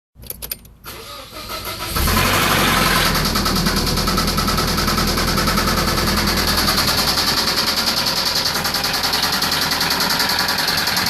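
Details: Nissan 240SX KA24DE: cranks, catches and settles into idle with a fast, fairly even ticking over it. A mystery noise whose source is not identified.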